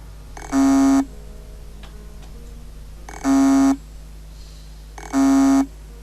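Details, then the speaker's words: Hard disk drive with read/write head stuck on the platter: three short, flat half-second buzzes about two seconds apart with quiet between, very faint; spindle can't spin and power soon cuts; head must be moved manually to its parking zone. "este sonido producido en el momento de atascar la cabeza es muy bajo y hay que que escucharlo con mucha atención"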